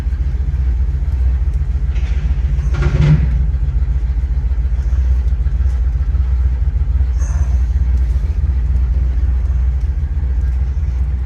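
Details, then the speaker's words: Idle before teardown, car not yet warmed up: steady low idle with uneven lumpy beat and periodic stumbles; misfire very present at idle with choke on or off but unnoticeable under heavy throttle. "the engine's got a miss odd because it's very present at idle even when the joke's on or off but under heavy throttle you don't even notice it"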